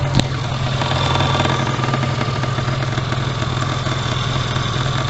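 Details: ZAZ Tavria pickup at idle, heard from under the car in the pit: steady low idle with a faint tinny buzz; knock/scrape when pulling away, catalyst removed, engine sitting higher; suspected rattle from the exhaust resonator.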